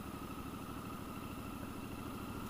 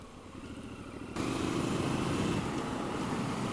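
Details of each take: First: Triumph Scrambler 1200 XE, liquid-cooled 1200cc 270-degree parallel twin, in third gear at very low rpm coming down from speed: slow heavy uneven thumping, engine lugging in too high a gear, bucking below about 1000 rpm. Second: Triumph Scrambler 1200 XE, a liquid-cooled 1200 cc parallel twin with a 270-degree crank: it catches and settles into an even, lumpy throb with no knocks or rattles; the exhaust is generally tame, coming in under throttle; normal engine note.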